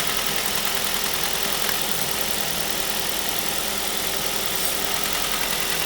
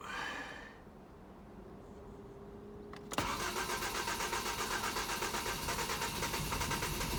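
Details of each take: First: 2005 Ford Mondeo LX petrol engine, warming up, oil-burning car: busy light fast clicking over steady idle from rattling intake swirl flaps, a common fault on this engine. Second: 2005 Ford Mondeo LX that was burning oil, started after an attempt to free suspected stuck oil rings: brief crank, catches and settles to a steady, even idle, no smoke, much smoother; normal start-up.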